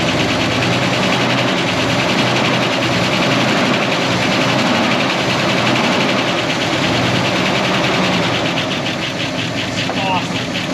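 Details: 1969 Buick Wildcat V8, barn-stored 26 years since 1998, at fast idle after revival with oil pumping strong to the valvetrain: light, quick ticking under a steady roar with some fender rattle; the lifters are quieting as it runs.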